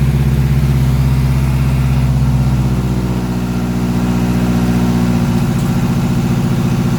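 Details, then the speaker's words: Big-turbo Mazdaspeed3, first start after the build, idling in a garage: a steady even idle with a smooth low drone and no knocks or misses; onlookers wonder if it has an exhaust leak or is just loud. "dude it's running [Applause] and it's running good too"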